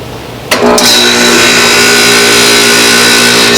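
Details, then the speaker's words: Home AC outdoor unit kicks on with steady electric hum and buzz but no fan whoosh; condenser fan won't start by itself yet spins when pushed, owner suspects the capacitor. "it kicks on but the fan wall moves if I give it a little spin that takes all that's not a serious problem because the fan spins when I give it a little jumpstart I'm thinking that it's going to be the capacitor"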